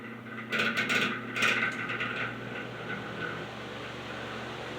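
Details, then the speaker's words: Patton U2-1479 14-inch floor fan, first run, likely worn from heavy use: rattling clatter at startup settling into a rough, uneven motor hum; spins freely, not seized, but bearings need oil and thrust washers likely need replacing. "I mean, the bearings are definitely in need of oil, but it sounds like those the washers in that thing definitely need to be replaced. I mean, it's free spinning. It's not like it's particularly seized up or anything,"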